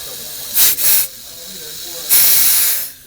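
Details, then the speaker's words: Fisher valve positioner during ValveLink auto-calibration of travel, with the cover removed: sharp bursts of air hiss, two short and one longer, as it vents while stepping the valve. Normal exhaust hiss. "they don't want you to have to listen to and hissing but I don't mind it's a good good practice to get to hear"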